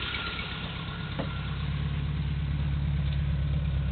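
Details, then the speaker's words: 1980 Triumph TR7 fuel-injected overhead-cam engine with solid lifters, rebuilt 2015, about 20,000 miles since, warm-ish after an hour off; smooth steady low idle with faint valvetrain tick, no smoke; normal idle. "no smoke back here. Just a tiny bit of lifter noise, but it's a solid lifter engine, overhead camshaft, so they're never dead quiet."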